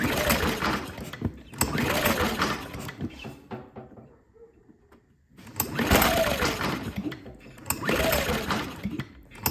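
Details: Predator 2000 inverter generator, single-cylinder, test-run with valve cover and air breather off after pushrods had come off the rocker arms and valve lash was readjusted; pulses up and down in bursts, clean firing, a pause, then runs again; healthy now.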